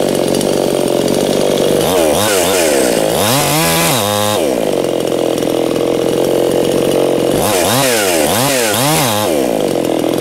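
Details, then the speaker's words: New Anbull chainsaw breaking in, chain brake set under repeated throttle bursts: screams up and down without bogging; the saw overpowers the chain brake; brake slipping. "so it's interesting this saw has enough of power to um overpower the chain break but you know if that engages you know you're pretty much off the throttle eventually"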